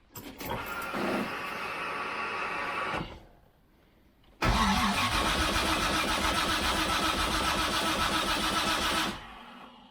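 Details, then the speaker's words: Freshly rebuilt turbo engine with forged internals, first start attempt in park with sensors and MAP sensor connected, no fuel leaks; two spells of steady cranking at about two and a half turns a second, never catches; crank no start. "Park is in. Yeah. Nothing. Crank is on. All the sensors are on. Map sensor on. Should be good."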